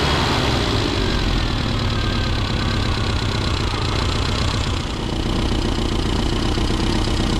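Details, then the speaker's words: Classic Mini Cooper RSP after ignition timing set at 1500 rpm with vacuum disconnected, then readjusted: steady, even idle with a crisp regular beat, no misses or knocks; running better before mixture leaning. "that is running better absolutely that sounds a much"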